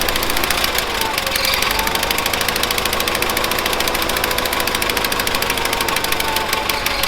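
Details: 1970s Bolens QT16 garden tractor, long unused with old gas and gravity-fed fuel to the carburetor: single-cylinder chugging unevenly with a rough, knocky beat, about half choked; rough running, carb needs cleaning out.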